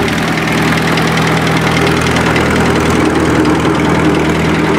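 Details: 1955 Allis-Chalmers WD tractor with a swapped 4-cylinder Kubota diesel (about 38–40 hp, ex-city bus), started after 5 seconds of glow plug: smooth, steady diesel clatter at even idle, no misfires or extra knocks; normal idle.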